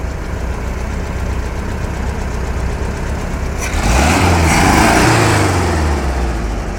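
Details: VW Beetle air-cooled flat-four tested with a timer after rebuild: steady idle with even beat, then a brief rev that rises and settles cleanly; running healthy, normal idle.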